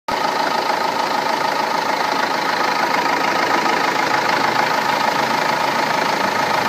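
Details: Renault Laguna 2 2.2 dCi diesel idling after timing belt and water pump replacement: a sharp, rapid rattling knock about three beats a second runs steadily over the idle, a harsh nailing of unclear cause.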